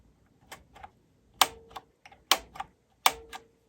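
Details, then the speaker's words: Cassette deck being evaluated at first power-up before any repair: four crisp separate clicks about a second apart as tape type selector switches; tape type switching working normally. "Type type switching is working. Don't know if that's working. Don't plan on using it."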